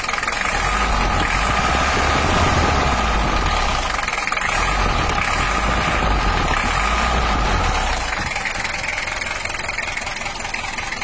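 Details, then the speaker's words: Toyota Hiace LH-11 type-L (2L) diesel after injection pump setting and fixing a cracked fuel line that caused stalling: steady, even idle clatter with no misfire, typical of the 2L engine; oil pressure normal; normal idle. "nanti kita coba hell bercolar masih saya dan suaranya udah normal juga dari ciri khas 2l atau type l ini"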